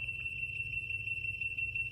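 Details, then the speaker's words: Laser level receiver: high, unbroken solid tone over a quiet room, meaning the sensor is right on the beam height; slower beeps mean move up, faster beeps mean move down. "you keep going down there's a solid beep and there's a bit of a slower beep after so the slower beep means you need to move the sensor up a little bit the faster be you need means you need to move it down a little bit and then the solid line u means that you are right on the height"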